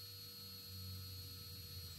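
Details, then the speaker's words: Drone brushless motor, props removed, vibration test via Baseflight after replacing motor 4 with a brand-new one: faint, smooth, steady whine over a low hum, no wobble or rattle; practically no vibration. "et celui-là il est tout neuf et vous allez voir magique on l'entend pas il n'y a aucune vibration"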